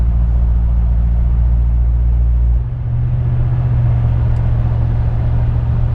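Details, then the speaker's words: Dodge Ram 1500 5.7 L Hemi with a Carven progressive bolt-on muffler, at cruise near 1500 rpm: a deep booming exhaust drone with or without MDS that shifts pitch and fades around 2,000 rpm. "So at around 2,000 RPM, noise seems to go away, but anytime around 1500 RPM, if I can drop the speed a little bit, 1500 RPM, there's like a pretty bad drone."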